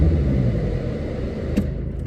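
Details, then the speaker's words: Mercedes 190 (W201) ran badly and wouldn't start after its vacuum lines were reconnected the wrong way round. With the lines swapped back it starts on the button, giving a low, even diesel rumble with no stumbling. Normal idle after the fix. "I wouldn't start, so took a chance, swapped them back round. Problem solved, which I can demonstrate easily now."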